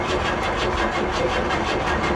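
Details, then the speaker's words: Old rusty car at an insurance auction, probably not cranked in a while: starter turns the engine evenly for a couple of seconds, engine sounds a little tight, never fires; cranking, no start. "She sounds like she probably hadn't been cranked on in a while, guys. The engine sounds a little on the tight side."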